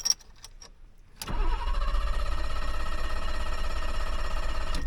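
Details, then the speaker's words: 1985 BMW 635 CSI, hot restart after a drive to church and back: silence then long crank before catching into a deep, lumpy rumble; intermittent hard start returned, owner suspects cold start valve or airflow meter, unconfirmed. "Oh, it's back to its weird stuff. There's something else then. I'm missing something somewhere."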